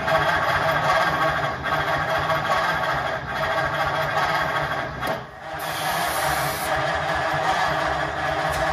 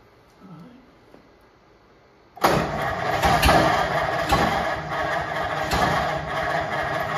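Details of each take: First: 1950 Ford F1 with reinstalled flathead engine on a 6-volt system: slow lazy starter churning about three beats a second, cranking too slowly, never firing; no spark, so it won't start. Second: 1950 Ford F1 flathead just reinstalled, after a spark jumper thought to have worked loose was tightened: engine catches and settles into a steady, even run, no longer popping and sputtering, firing cleanly; no coolant in it yet, so only run briefly.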